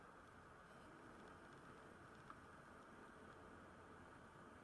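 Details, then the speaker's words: Coleman 288 lantern after cleanup and re-oiled pump leather, lit and burning: quiet, steady, even hiss with no sputter or surging; lantern is burning normally. "It's just humming away. Beautiful. That is actually a very nice lantern."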